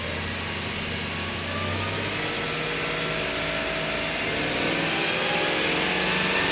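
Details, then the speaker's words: 2008 Subaru Outback 3.0 EZ30 flat-six: engine revved smoothly with an even rise in note, no power steering whine or knock; sounds healthy. "I hope there's no tools in there. I've had a look. Oh, listen to that. No power steering whine."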